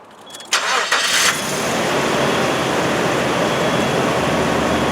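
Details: 2000 Nissan Xterra, 170 hp, about 179,224 miles, no check engine light: quick crank, then engine catches and settles into a steady, even idle with no knocks or misses; healthy start.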